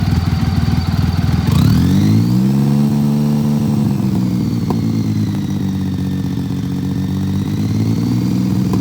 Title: BMW K75 Misfire